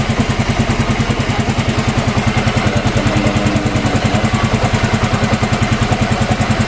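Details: Yamaha Mio M3 scooter after repair of rough engine noise, valve clearance checked at top dead centre: engine idles with a steady, even putter, no knocking or rattling.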